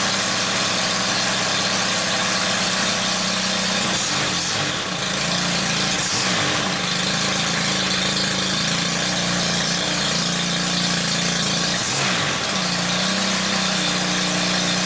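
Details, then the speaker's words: Small engine after fixing a loose carburettor tick-over screw (PTFE tape on its thread, replacement copy carb), while adjusting tick-over: even, buzzy idle holding one speed with no hunting, surging or stalling; idling properly. "So the next thing to do is start it up and adjust the tick over. Okay, let's start it up and adjust that tick over."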